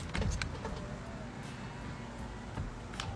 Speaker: Amazing, it actually works. That's exactly what I'm looking for.